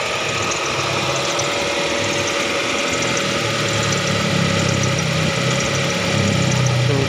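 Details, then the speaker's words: Hyundai Trajet after fuel pump replacement (had stalled suddenly on the road), refuelled and started: steady hum with a soft, even patter that barely changes; engine settles into normal idle. "10 kita tes starter sukinto starter of lagi-lagi [Musik] alhamdulillah nih sudah hidup"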